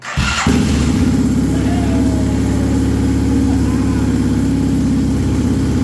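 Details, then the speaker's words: Can-Am Bombardier Rotax DS650 ATV that would not run after the previous owner's top-end rebuild, started on choke after reconnecting the crank sensor and stator: steady thumping single idle with a slightly loud top-end clatter suggesting big clearances; possibly a touch of smoke and oil burning off; recorded on a phone. "now again we're on my phone so motor sounds pretty good not not loud a little loud on top but not too horrible"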